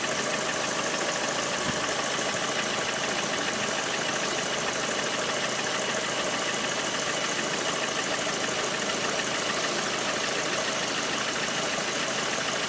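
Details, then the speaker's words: Lada Priora 126 engine, hot idle: sharp, diesel-like clatter ticking steadily, "runs like a tractor." Service diagnosed worn piston groups needing replacement; pulling the cylinder 4 coil stopped the knock when cold. "Ну, вы можете услышать этот характерный звук, похожий на дизельный. Он едет как трактор."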